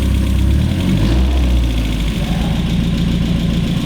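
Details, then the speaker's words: Mazda Miata 1.8 engine swapped into a Datsun roadster, first start in over a year, warm idle: light quick ticking over the low rumble, owner suspects a busted or noisy lifter, possibly an exhaust leak; oil pressure present, improving but still ticking. "The only thing that concerned me is that it was ticking quite a lot, and it shouldn't be doing that. It also might be an exhaust leak. Sounds better. There's definitely still a little bit of lifter sick."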